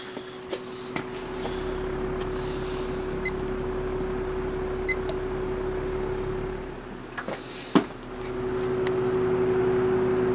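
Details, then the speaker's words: Patton box fan, 1.2 A motor, on low: soft steady mid-pitched hum with motor harmonics and a few stray clicks; very quiet yet pushing a nice breeze. "low very quiet on low even with it being that quiet it's still pushing a nice little breeze you can hear those motor"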